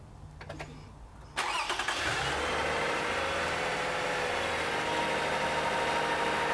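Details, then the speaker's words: Car with a used engine installed over a year ago, started for an alternator ripple test: brief starter cranking, then it catches cleanly and settles into a steady, even idle. Normal start. "so for this test we're actually going to start up the vehicle and let it run"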